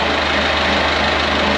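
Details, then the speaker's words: Perkins AA35001 marine diesel in steel-hull sailboat SY Carla, first start after almost a year laid up and winterized, fuel pump primed: steady, even idle clatter, no misses, knocks or hunting, cooling water flowing, some smoke; normal healthy idle. "perfect Mr Perkins is living"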